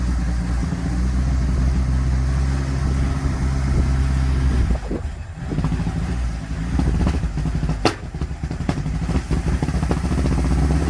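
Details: 1957 Ford Popular 103E: an uneven, stumbling idle with irregular dips and catches instead of a smooth rhythm. Engine misfire.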